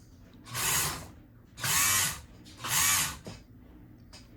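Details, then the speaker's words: Kenmore 158.523 sewing machine, pedal pressed: three one-second bursts of high motor whirr with no needle or mechanism movement. Motor runs but nothing drives; stop-motion clutch tightened, still not turning. "So, we hear We hear the motor running, right? But nothing's happening."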